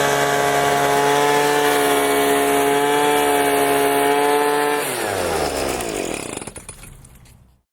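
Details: Leaf blower that would not start because its tank was empty, now running after refueling: a strong steady high buzz at even speed, then the engine cuts and spins down smoothly; runs cleanly.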